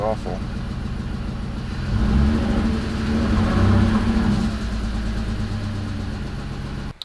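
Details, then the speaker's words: BMW E46 330i first start after overhaul with new intake manifold and CCV parts: engine revs unevenly, rough and choppy under throttle; fault codes show cylinders four, five and six misfiring, cause unknown. "basically we've got this so cylinders four five and six are misfiring basically no idea why"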